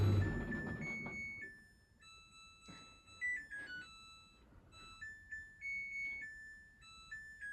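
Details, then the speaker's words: Samsung DV80M50133W Optimal Dry 8kg heat pump tumble dryer, bought for spares and repaired, reaching the end of a 13-minute cycle after the fan phase: a short run of clear electronic tones plays the normal end-of-cycle melody. "Hopefully in a minute it'll start to play a little Samsung tune."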